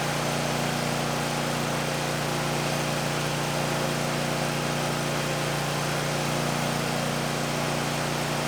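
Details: 2019 Bad Boy Maverick mower with a Kohler 747 twin, near 100 hours, just serviced with new oil, oil filter, air filter, fuel filter and spark plugs; it settles into a steady even idle with no misses or knocks under heavy rain drumming on a roof, sounding healthy.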